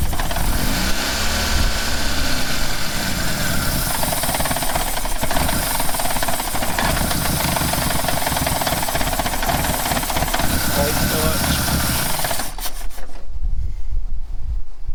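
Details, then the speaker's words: 2-door Mitsubishi Lancer CE, trying to start after fitting a replacement fuel rail and injectors: the engine runs lumpy and uneven with a ragged exhaust note for about twelve seconds, then stalls. "Fire it up. Go again. Try and make it not die. Well, we made it worse. Alright, try it again."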